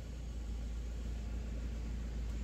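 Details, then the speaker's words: Suzuki Swift idle after manual throttle body cleaning, heard from inside the cabin, AC on, about 800 rpm; previously hunted 1300–1100 rpm with loud noise. Now a low, even hum with no surging; idle steady and smooth. "उतार-चढ़ाव ( उतार-चढ़ाव) नहीं। बिलकुल। यह चिकना है। पूरी तरह से सही।"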